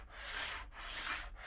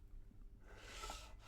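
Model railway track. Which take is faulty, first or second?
first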